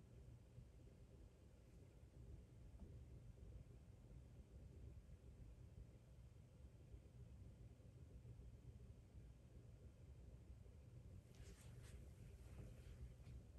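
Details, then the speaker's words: Air handler blower fan tested after Ecobee Premium smart thermostat replaced Lennox unit, attic open: very faint steady low rumble, no rattle, tick or whine; blower running smoothly and quietly. "trying to listen that's why I'm quiet right now foreign is super quiet but it is on even with the attic open I barely hear it"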